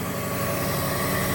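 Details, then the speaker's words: 1994 Subaru Legacy Turbo wagon after replacing the header and up-pipe exhaust gaskets: a smooth, steady idle with no ticking or puffing and no exhaust leaks heard, though the up-pipe was later found split. "sounds really good I don't hear any exhaust leaks anymore"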